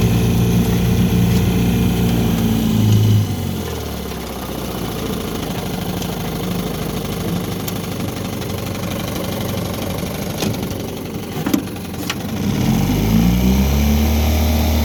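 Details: 1960 Evinrude Fisherman 5.5 hp two-stroke outboard, revived from a broken mess, running in reverse backing away from shore on an icy pond: steady putter with an even, unbroken beat, no misses or knocks; normal running in reverse.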